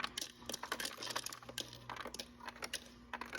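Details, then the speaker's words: Refrigerator ice dispenser after clearing the ice maker, with suspected ice buildup at front and back: cubes clatter out quickly over steady motor hum, no more screech or squeal, no blockage. "As you can see, there's no more screeching or squealing noise, and the ice is coming out a lot quicker, and there's no blockage."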